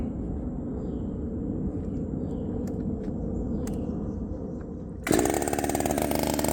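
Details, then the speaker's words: Redmax 5000 chainsaw, 16-in bar, sharpened steel RS chain, 8-pin sprocket, muffler before mod, cold: low uneven idle, then jump to loud high revving buzz; cuts fast but pulls rpm worse than with 7-pin; owner hopes muffler mod fixes idle. "B seemed like it was cutting extremely fast to me um but I did notice that it was not able to pull the RPMs nearly as well with that 8 Pin sprocket as it did with the seven which makes sense right"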